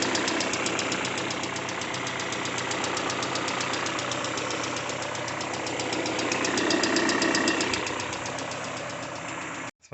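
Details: Peugeot 406 coupe, start after timing belt replacement: sharp, regular ticking knock at about four per second over the idle, appearing suddenly on restart.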